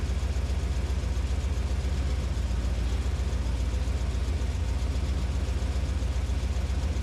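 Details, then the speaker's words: 1981 Corvette V8 idling with a low, lumpy rumble and a steady puffing pulse about four a second, after the power valve was rebuilt and reinstalled: definitely an exhaust leak. "all right we definitely have an exhaust leak I can hear that"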